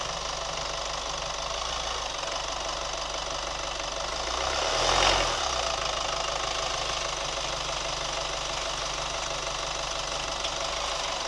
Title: New Chevy Colorado ticking sound / rubber squeak sound 2